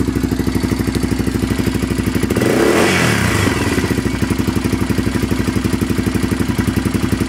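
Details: Honda 400EX ATV with fast, steady light ticking through idle and a quick throttle blip; the owner suspects the valves badly need adjusting, not confirmed.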